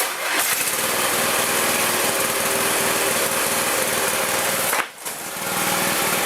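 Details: Old Murray riding mower, single-cylinder, restored after engine wouldn't run right and sharpened blades, mowing: strong even buzz with a brief dip under load that recovers quickly; healthy, no knocks or misses.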